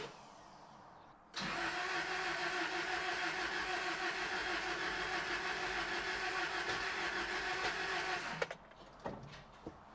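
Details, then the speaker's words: Toyota pickup just back together after engine work (fresh oil, coolant, battery, spark plugs, head gasket fixed): even starter cranking about seven seconds, never firing; engine cranks but won't start, fuel smell, spark and distributor timing being checked. "Well, I've been messing with this thing for a minute, and I couldn't figure out why it wouldn't start."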